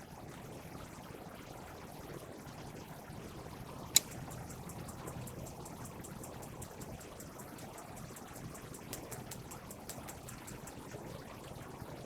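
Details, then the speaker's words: RV gas water heater on propane: sharp snap then rapid igniter clicking over hiss, trying to light three times before pausing and retrying; slow lighting attributed to air in lines after propane tanks refilled. "And it's trying to light. So as you noticed, it tried to light 3 times."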